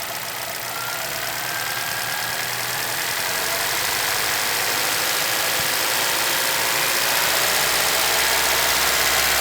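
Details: 2011 Chevrolet Celta VHCE Spirit engine at steady idle, hissy top end with fast regular light tapping about three per second; owner asks what the knock is, cause unclear.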